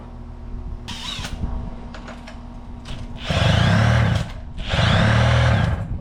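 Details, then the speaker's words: 1983 Evinrude two-stroke outboard after power unit work, started with starting fluid and primed fuel bulb: buzz rises cleanly through two throttle blips and settles without misfire or stumble, "baby purr"; normal running. "Listen to that baby purr."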